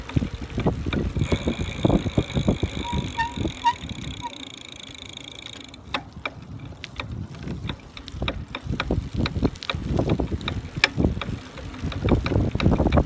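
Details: Brand-new Buzz Charter F e-bike on first pedaling: loud, frequent, irregular knocks several times a second from the rear hub motor, like metal parts colliding inside.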